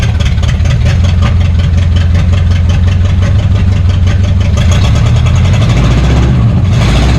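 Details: 1962 Cadillac hearse sitting 40+ years, junkyard V8 started after adjusting timing and choking it: deep, even rumble holding steady, no misses or stumbles; smooth idle, belt still needs sorting.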